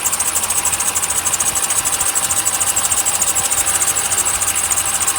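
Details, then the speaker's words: Chevy dually idling after an oil change: high-pitched chirping squeal pulsing about three times a second; owner suspects a bad belt tensioner or belt, not yet diagnosed. "Let it run for a minute, let the oil circulate. I think I need a tensioner or a new belt, one of the"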